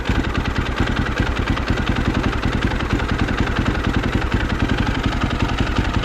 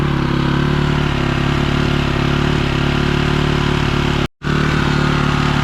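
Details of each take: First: 2006 BMW R1200GS Adventure, 107,000 km, after lowering a too-high idle, valves still needing adjustment: even, steady low thump at about three and a half beats per second with no stumbling or misses; settled, healthy idle. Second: 2006 BMW R1200GS Adventure, 107,000 km: steady, fast, even thumping idle, no dips; idling too high, needs idle and valve adjustment.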